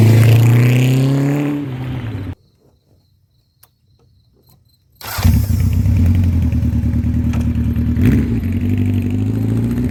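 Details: 1984 Honda CB700SC Nighthawk S on test ride just after a top-end rebuild, still breaking in: revs up cleanly, drops off, pulls smoothly again under steady throttle, no knocks or rattles; engine sounds healthy.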